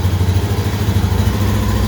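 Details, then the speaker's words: Honda Beat FI scooter, engine cold after long storage, normally hard to start and stalling with lost compression: after kick-starting it catches and settles into an even, steady cold idle with no misses. "selah selah boleh selah ini kondisi mesin dingin ya dingin dingin"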